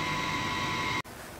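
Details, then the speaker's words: Mosque water pump with automatic pressure switch, as the tank nears full: steady whine cutting abruptly on and off, noisy rapid short cycling. "jadi masalahnya Begini ya ini sebetulnya adalah salah satu masalah yang EE yang sering ditakutkan oleh kawan-kawan ya yaitu pompa itu kan memakai otomatis pressure switch ya kanwan Nah suara yang kayak tadi itu Itulah yang kemudian membuat orang mulai enggak suka den"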